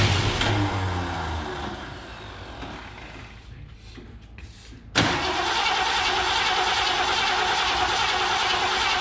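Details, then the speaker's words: 1969 Mercury Cougar Sport Special, 351ci Windsor 2V V8, sat 20 years: starter churns rhythmically but engine never catches; crank-no-start from fuel starvation, the gas tank pickup was plugged; the accelerator pump is worn but functioning. "now she's just been sitting a long time and that that gas the gas tank pickup was plugged no surprise there really seen that before"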